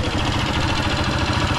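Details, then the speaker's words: Honda TMX 155 single-cylinder motorcycle idling before engine teardown: loud, rough thumping clatter and excessive vibration; worn connecting rod and scored cylinder. "so pag piner natin nakikita mo yung vibrate masyadong maate yung makina niya t saka maingay talaga yun"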